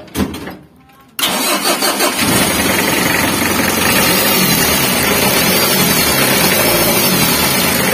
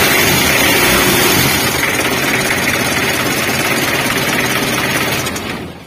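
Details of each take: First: Mitsubishi L300 diesel idling with a harsh, dry, raspy grinding over the clatter. Water pump or alternator bearing was first suspected, but the noise stayed with the fan belt removed, pointing to a worn timing belt with worn-down teeth. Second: Mitsubishi L300 diesel after a worn timing belt, which caused a strange engine noise, and a cracked fan belt were replaced: even, steady diesel clatter at idle with no slapping, squeal or irregular knock; normal idle.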